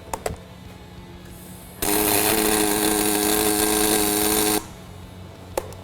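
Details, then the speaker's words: Fronius Fortis 270 MIG tacking aluminum, gas turned up to about 40, no push-pull or spool gun: steady crackling buzz about three seconds with faint clicks; heat well managed but running cold, some burn-back tendency. "It's, you know, normally aluminum MIG, you kind of get nervous and you want to move real fast because you're afraid of the heat. That seems to be managing the heat really well."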